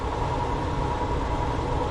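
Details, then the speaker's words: Furnace blower motor found seized and humming, manually spun to start: low, even droning hum with a faint steady tone and no rising air rush, motor dragging below speed; seized blower motor, later replaced. "still doesn't sound like it's up the speed but uh I got the system at least going"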